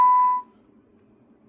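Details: Radio Shack TRC-495 CB base unit on the bench after repair and rough alignment. A clean, steady high beep holds under half a second, then near silence. The receiver coils are peaked for maximum on the scope.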